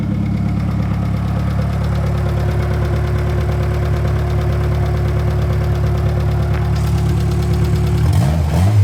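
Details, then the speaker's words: Turbo Honda Accord F23 after replacing a bad coil pack, found by swapping packs between cylinders; it had missed at idle and broken up into VTEC; now a steady, smooth idle with no misfire. "And just like that, it's fixed."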